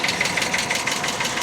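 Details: Cheap auction Hyundai Accent, known ticking before start-up, idles with quick light ticking about eight per second, steady over the idle; top-end tick of unknown cause persists after running.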